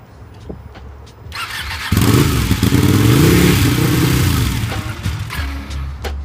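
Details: 2014 Ducati 899, under 600 miles, started by pressing starter while rotating throttle: cranks, fires and revs roughly for a few seconds, then cuts off; hard starting, won't keep running, cause not confirmed.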